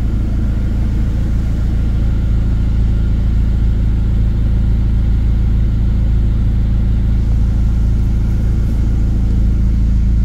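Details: 2007 Chevrolet Colorado 2.9L after Passlock security relearn fixed intermittent no-start; engine catches on third try and settles into a smooth, steady low rumble, even firing, no misses or knocks; runs fine.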